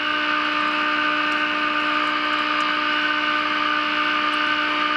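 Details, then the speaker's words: GE radio converted into an AM transmitter: a clean, steady buzzy tone at 30% modulation comes strongly through the speaker as the IF stage is peaked. "Alright, there's our peak. May have turned up a hair more. Hear the sound over the radio."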